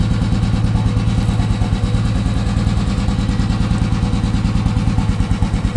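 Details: Royal Enfield Himalayan single-cylinder after its dead battery was jump-started with wires from an old Bullet (a recurring problem): steady, even low thumping at idle with a regular beat and no knocks or misses; a healthy idle.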